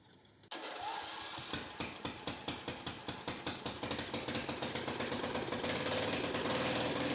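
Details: Victa 10-42 / MTD 145-760A lawn tractor, ~50 years old, covers off, no muffler, carb dripping fuel: small single catches at once, sharp loud pops quickening to speed; runs fine.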